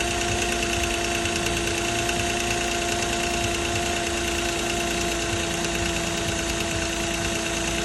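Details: 2006 Nissan Maxima at steady idle: a light, fast metallic rattle rides over the running note with a constant tone above; timing chain rattle suspected, not confirmed.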